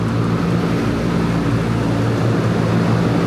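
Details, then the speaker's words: Conair industrial chiller condenser fans, including a variable-speed fan, running on circuit two at 440 psi head pressure, 18° subcooling, during compressor lockout troubleshooting: steady, even low hum with smooth airy rush, no rattle or scraping; fans normal. "So, that's a variable speed, meaning it'll speed up, slow down. That way, you're not cycling a fan completely on and off."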